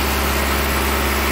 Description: This 2008 Hyundai Accent had a totally dead cyl#2 and code P0302. I diagnosed the problem to be a split intake manifold gasket allowing too much air into cyl#2 and would run lean at idle to the point of misfiring.